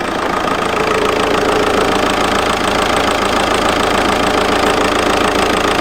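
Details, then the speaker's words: VW Golf GT TDI diesel after turbo replacement, no boost, smoke from exhaust (possibly old turbo oil burning off), no engine lights: steady idle with a hard, regular knock about three beats a second, misfire-like; cause unconfirmed. "Oh my god, what is that sound? Oh my days, what is that sound? It's like misfiring."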